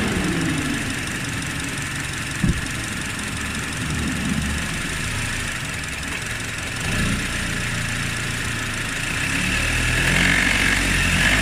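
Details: Honda Odyssey RB2 K24 engine knocking while driving at 1600–1800 rpm under load: light rhythmic knock heard under road noise; cause not yet identified.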